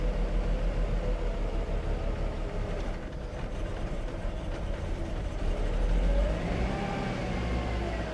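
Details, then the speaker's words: 1995 Mercedes E320 Cabriolet (W124) that sat 19 years, rat-damaged vacuum line found: engine runs rough and lumpy, revs wandering up by themselves and close to stalling; not running well, cause not yet known. "She's not running very well right now. She's not happy at all."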